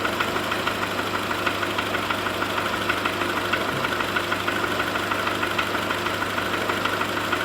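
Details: VW Golf 4 1.4 petrol engine idling cold. It runs steadily with a light, regular knock about once a second; the cause is undetermined.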